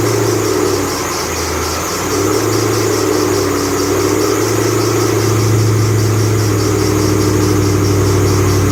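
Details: 2008 Bullitt Mustang, 8-rib serpentine belt, cold-start idle the morning after sitting overnight in the garage, under 30 miles driven: a thin chirping squeal pulses steadily and does not track revs, a slipping serpentine belt.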